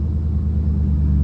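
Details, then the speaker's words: C5 Corvette after fixing a loose starter wire that caused click-no-start: quick clean catch into a deep, even rumble with no stumble, starting better than in past weeks; normal start and idle. "oh yes all right so it's running it started up multiple times no problems it actually sounds a lot better starting up now than it has the past few weeks"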